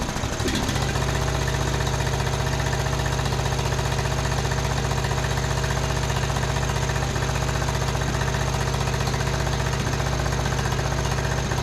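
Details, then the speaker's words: Uneven popping and stumbling at rough idle, about three beats a second, on a John Deere D110 riding mower at first start with jumper pack; misfire, later traced to a loose spark plug and lean carburettor. "Well, started right up. You can hear it popping and misfiring."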